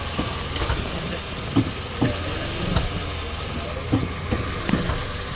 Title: Clunk noise when shifting to reverse nissan sentra 2019 cvt